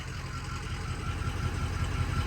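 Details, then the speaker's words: 2005 Ford Excursion Limited 6.0L Powerstroke diesel 4WD, freshly rebuilt engine, 138k miles, heard from the rear: steady, even idle with a smooth low clatter, no knocks or surging; not too loud, normal idle. "Sounds really good. Not too loud. Just sounds nice."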